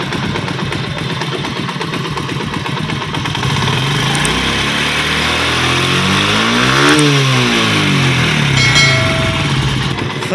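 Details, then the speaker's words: Honda CD 70 motorcycle idling after tappet adjustment without part replacement: steady even putter, tapping noise gone from the engine's other side. "आप दूसरी साइड में इंजन के दिखा दूँ, आवाज़ आ रही नहीं आ रही, ये देखें।"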